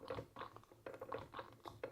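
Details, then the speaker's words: Handle of a new manual espresso machine has excess free play before the piston engages; light irregular clacks and rattles as the handle moves through its loose travel, an unpleasant noise caused by linkage play. "이게 유격이 있으니까 이렇게 거덕 거덕 하는게 좀 불편한 거죠 자이 유격이 있음으로 해서이 이상한 소음이 생겨요이 유격 때문에 들리시죠"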